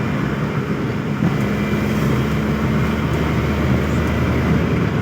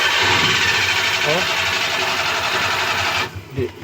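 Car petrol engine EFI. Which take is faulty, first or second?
second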